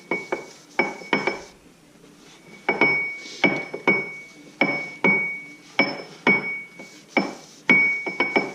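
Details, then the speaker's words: Ford 9-inch third member during reassembly, gear rocked back and forth before tightening the adjusters: sharp metallic clacks in quick pairs and triples; excessive ring-and-pinion backlash. "as you might be able to hear that pretty is excessive tighten up from spanner see what happens"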